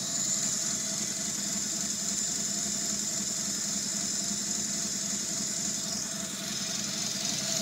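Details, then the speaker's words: 3G Eclipse 6G75 cylinder 4 misfire with code P0304: uneven, stumbling idle under a steady whine, check engine light on. Plugs, wires, cap and rotor already replaced; owner suspects a bad PCM circuit or a pinched injector wire. "so so you can hear the obvious miss it's most prominent right there 2000 rpm and of course now the check engine light is on"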